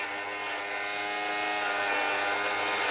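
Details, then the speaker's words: Fabric shaver on a heavily pilled sweater (pills from tumble drying and wear): a steady buzzing motor with a light crackly cutting note, like a lawnmower over grass, shaving pills off normally. "You can hear that. Kind of sounds like a lawnmower going over the grass."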